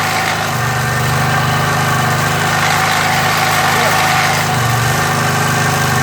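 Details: MTD edger with 3.5 hp Briggs engine that had been sitting non-running, after repair with RPM brought up: steady, even buzz from the single-cylinder at constant speed with no misses or surging; running properly.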